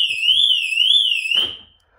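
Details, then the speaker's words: VW Sharan 7N2 with a factory VW alarm retrofitted, siren mounted behind the front emblem between the radiator and the ACC sensor bracket; volumetric sensor triggered by hand: loud high warbling siren sweeping about twice a second, then stopping; works correctly. "Maintenant on va tester. Je vais vous montrer donc l'alarme volumétrique qui est en haut là-bas."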